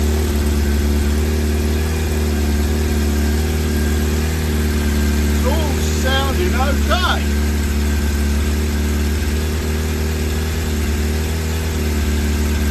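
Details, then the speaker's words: Newly bought Suzuki Bandit 600 inline-four, warm, around 2,000 rpm, choke being taken off: uneven beat with a stumble roughly three times a second, one cylinder misfiring; owner suspects a fueling problem, not confirmed. "okay here comes a mire that's what makes you think it's a fueling problem"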